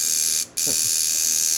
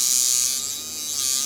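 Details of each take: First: Cheap kit coil tattoo machine straight out of the box at about 4–5 volts: harsh, high-pitched buzz in uneven bursts with a loose rattle; running rough and poorly tuned. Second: Cheap kit coil tattoo machine set up as liner at about 40–45% power after new rear spring (425 g tension), raised armature bar and reset: steady high even buzz holding pitch; running properly, no longer dropping out.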